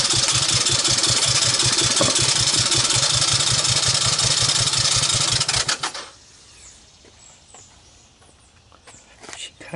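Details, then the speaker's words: 1984 Honda ATC200ES barn find with low compression (under 30 dry, 60 wet), on portable CDI box: rapid, even cranking about 160 per minute for six seconds, fires once, never runs; no-start. "fired once and that was that"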